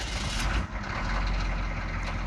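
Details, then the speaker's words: 1991 GMC V1500 Suburban 6.2L diesel, cold start after sitting a couple of days at about 30s°F, with a newly replaced alternator: deep, steady idle rumble with no belt or alternator squeal, and voltage holding up. Normal cold idle. "But the voltage is up and it's staying up and it's not squealing like a madman. So I think we're good."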